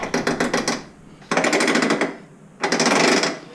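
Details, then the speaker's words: Honda Fourtrax TRX300FW with a prototype Torq Locker fitted, cornering in two-wheel drive: rapid bursts of sharp clicking lasting under a second each. Normal locker ratcheting, expected to quieten after break-in. "now you do have some ratcheting you'll hear going around corners here that"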